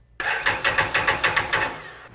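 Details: 2016 Can-Am Defender HD10 XT abandoned five years in the desert: starter spins the engine at about six even compression pulses a second but never catches; fuel pressure present, injectors had signal, injectors possibly stuck from deposits.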